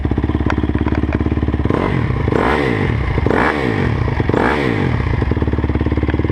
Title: 2009 crf 250r weird noise